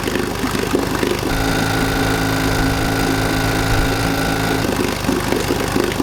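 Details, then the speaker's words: 1952 Johnson Seahorse 5 hp two-cylinder outboard, first run in a bucket after restoration: catches and runs a few seconds with a thin steady buzz, then falters; weak running with known low compression. "but i still had that problem with low compression so i decided to try marvel mystery oil"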